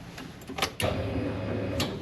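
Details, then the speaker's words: Ford Foxbody restomod with Gen 2 Coyote engine, after flashing a base tune and refitting the fuel pump relay: a couple of light clicks, then a steady low pump hum holds evenly; normal prime. "That's a fuel pump."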